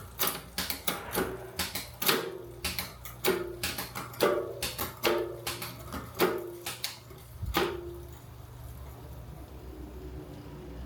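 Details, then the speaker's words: Marin mountain bike rear freehub after servicing play in the axle and freehub: soft, even pawl ticking that fades as the wheel coasts down. Slightly over-greased, so it is quieter and less free-spinning for now; normal. "I have a little bit too much grease in the rear hub at the minute, so she's not spinning as freely as she was, and she's a lot quieter, but that will free up in time."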